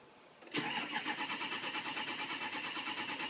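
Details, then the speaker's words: 2006 Ford 6.0 Powerstroke diesel crank no start: steady cranking about five beats per second, never catches. FICM voltage holding, sync, IPR, injector clatter and fuel present, but ICP only about 117–270 psi; low injection control pressure, to be torn down. "okay I have a low injection pressure issue cuz I have sink I have thick and voltage I have the clatter I have fuel so I'm going to pull this one apart and see what's up"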